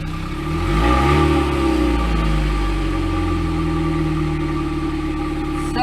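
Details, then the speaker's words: 1998 Sunfire on the ground after a new muffler, testing for leaks: a quick rev settles into a steady, even idle with a deep, quiet exhaust note, no rattles or puffing leaks; much quieter than before. Normal exhaust idle. "sounds way better we're testing to see if there's leaks anywhere"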